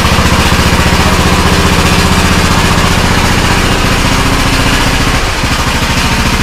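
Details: Custom-built Troy-Bilt riding lawnmower, bought on Marketplace, running outside: loud, even single-cylinder putter at steady speed with no misses or knocks; engine runs healthy.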